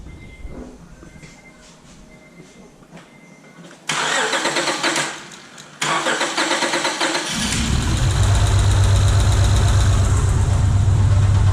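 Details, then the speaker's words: 2005 Acura TL 3.2L V6 after a shop replaced the broken timing belt and water pump: cranks, catches and settles into a lumpy idle with a steady stumble, a dead miss on cylinder 4. "all right so all right so you heard it it's definitely got a dead mess"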